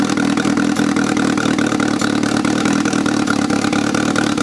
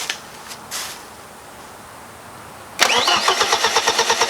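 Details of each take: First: 1995 BMW E36 318ti with turbo conversion, second start after first fire-up and oil check: steady, even idle with smooth firing beat and no misses or knocks; fires up and settles cleanly, normal idle. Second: 1995 BMW E36 318ti with a newly built turbo engine, first cranking with the fuel pump fuse pulled to get oil flowing and check for leaks; steady rhythmic cranking that never catches, as intended.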